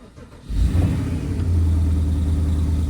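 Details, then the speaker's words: Porsche Cayenne GTS 4.8-litre V8, first start after new oil, filter, air filters and spark plugs: crank, then a deep, steady, even rumble with much better throttle response; healthy start. "Oh, that sounds better. Oh, yeah. that. Oh, that sounds much better."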